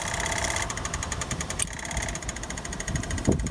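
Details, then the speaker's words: Onan generator for an MC9 bus RV conversion, electric fuel pump hooked up with a wire: quick, light, regular ticking about six or seven clicks a second over quiet background; pump working normally. "hooked up a little wire to the pump you can probably hear that little ticking that's the pump running"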